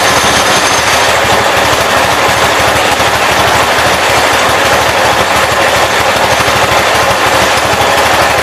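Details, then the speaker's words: 1980 Wheel Horse C145 with fuel added straight to the carburetor after diagnosing a non-pumping fuel pump: a hard, rapid, even crackling bark at full throttle with no misses. It still won't idle, and the cause is unresolved. "Still not idling, but at least it sounds good wide open."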